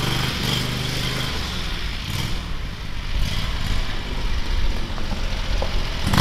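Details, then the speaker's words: Predator 670cc V-twin in a Yerfdog Spiderbox go-kart: deep rumble that never climbs in pitch, only around 2000 rpm, too low to properly engage the torque converter; governor limiting engine speed. "okay so what I found out is the uh the engine isn't revving high enough to really engage the torque converter we're probably only getting like it sounds like 2,000 RPM somewhere around that out of it"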